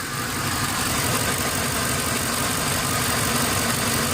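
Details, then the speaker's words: Ford Explorer 4.6 V8 idling with an uneven, lumpy beat after a coil was unplugged to test it, one cylinder dead; single-cylinder misfire, after fixing a P0308 cylinder 8 misfire. "let's see if it uh starts shaking and it's shaking so we know this cylinder Now is working see it's shaking"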